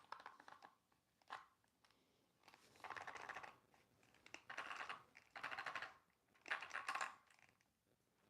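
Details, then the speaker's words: Traxxas Rustler RC truck being rebuilt after a shot transmission, pinion grub screw refitted, rear end and motor only loosely screwed in. Rough, scratchy rattling in bursts as it's rolled by hand; cause unknown, maybe fine once secured. "Uh it doesn't sound too good when I just roll the truck like this, but nothing has been secured down yet."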